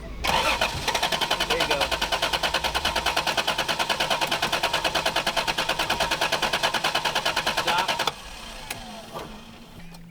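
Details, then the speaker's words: MGB GT with mouse-chewed wiring being replaced: quick, even starter churning about eight seconds with no firing or catch, then stops; cranks but won't start, not getting fuel. "let's try it again yeah I don't it's not getting fuel fuel pumps on I hear it"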